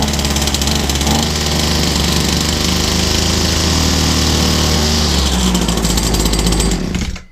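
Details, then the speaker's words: Old Husqvarna 22R two-stroke strimmer, scrap find, started on fuel sprayed into the carburettor: buzzy engine runs hard about seven seconds then dies, running on the fuel put into the carburettor. "Oh, well, there's a lot of fuel inside that carburetor. Let's put some fuel in here and we'll see if we can't jump this little baby into life."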